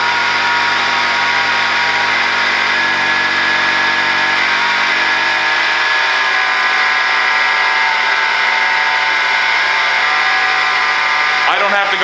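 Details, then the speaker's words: 2008 Acura TSX engine idling, screwdriver held on the alternator case as stethoscope: steady high-pitched scream constant at idle; alternator bearings worn out, replacement needed. "this alternator is absolutely shot the bearings are screaming I put my screwdriver right here on the case and it almost blew my ears out"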